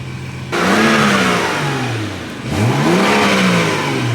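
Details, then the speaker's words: BMW N55 after exhaust rattle fix: two clean rev blips rising and falling smoothly with no metallic rattle as revs drop; back to quiet, normal revving. "the moment of truth yes sir no rattle back to quiet here"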